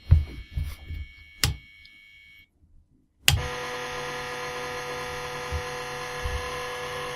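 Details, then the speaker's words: Floppy drive stepper motor driven by code at about 1000 microsecond step delay: clicks, silence, then a steady high buzzing drone holding one pitch; tone changed after working at the start, stepper suspected stuck at one end (direction), not confirmed. "hmm i wonder why it changes sound i think it might have something to do with the uh stepper motor getting stuck at one end or another"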